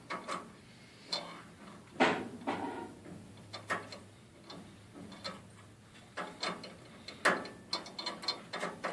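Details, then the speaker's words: Hydra 3D printer Y-axis during belt pulley and bearing assembly replacement and belt tensioning: bed shuttles back and forth with irregular sharp clicks and snaps, suspected belt teeth skipping. "back forward and if you hear the teeth skipping"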